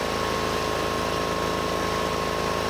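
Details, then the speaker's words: Rusty Honda 6500 W electric-start generator just started cold after sitting: steady, fairly high-pitched fast idle with even beat; rpm on the high side when cold, drops after warming up. "and it is running rpm is on the high side"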